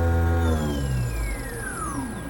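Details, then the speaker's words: 7.5 kW 6000 RPM three-phase 380 V spindle servo jogging at 5000 RPM with acceleration and deceleration set to 2.5 s: a high, clean whine falls smoothly in pitch as it slows, with no grinding or rattle; it works normally. "So I'm going to jog it now with that configuration. Let's go to function jog. Here we go. 5,000 RPM."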